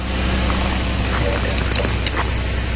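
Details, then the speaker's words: 2008 Mazda Tribute (Ford Escape) 3.0L V6 running with the serpentine belt removed as a test: even steady idle with no squeal or chirp, so the bad noise comes from a pulley. Normal idle with belt removed. "Okay, this is what it sounds like when I took off the serpentine"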